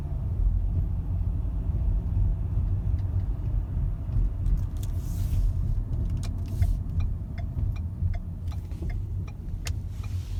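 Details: 2012 Ford Fusion I4 2.5L gives soft, irregular clunks over low road rumble at slow speed on rough or wavy pavement; it also clunks on initial steering turn when stopped in 90°+ heat. Cause was a worn front passenger-side lower ball joint.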